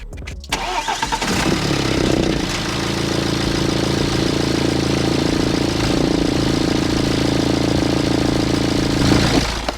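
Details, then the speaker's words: 2008 BMW E90 320d diesel after the rattly timing chain, a pulley and other parts were replaced. It cranks and catches quickly, then settles into an even, steady idle with no knocks or rattles; normal idle, though the turbo still needs work. "pretty damn smooth if you ask me so I hope that's cleared a few things up my engine is fine it's healthy"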